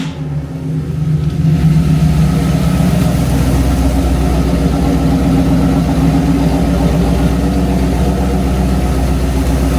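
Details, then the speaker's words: Numbers-matching Mopar 340 V8 on the dyno stand, idling on stock exhaust manifolds: catches and settles into a steady, even burble with no miss, tick or knock; a sweet, healthy idle. "if you listen to this thing, how it sounds with exhaust manifold, it is so sweet, guys."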